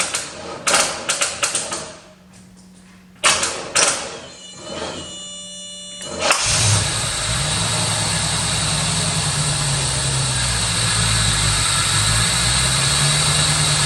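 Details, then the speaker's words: 1985 Chevrolet Corvette C4, sat about 2–2.5 years in an underground garage, first start on starting fluid sprayed into the throttle body with the air intake removed: cranking bursts and stumbles, then a lumpy, wavering rough idle with a massive air leak. "it sounds not that bad besides the massive air leak u"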